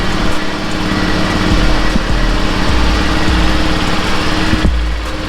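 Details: Zuma scooter, first start after a full rebuild: its small single-cylinder buzzes at a steady, even idle with no misses, knocks or rattles; normal running.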